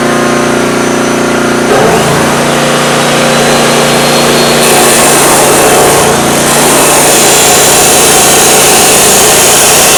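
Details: Homemade tri-fuel conversion engine with new petcock and inline fuel filter, started on gasoline at full choke with propane off: catches and settles into a steady, even run at high speed with no knocks or stumbles; normal running.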